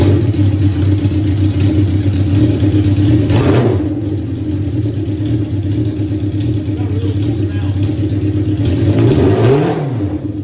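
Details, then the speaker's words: 1982 Suzuki GS650 Katana four-cylinder, carburetors cleaned: loud idle lopes and stumbles unevenly with throttle blips; loads up, bogs with black smoke and dies after minutes, misses at cruise; fuel system suspected first; rough idle. "you can hear how it doesn't idle really well [Music] but it makes me smile because it's really loud but you can hear how it doesn't idle very well"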